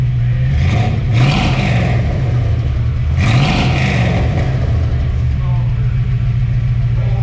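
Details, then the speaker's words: Chevrolet Caprice V8 after a new distributor cap, rotor and water pump: two quick, crisp throttle blips over a steady idle with no tapping or clatter, revving healthy. The earlier suspected lifter or pushrod noise is blamed on cap and rotor buildup. "You want to hear how snappy this puppy gets?"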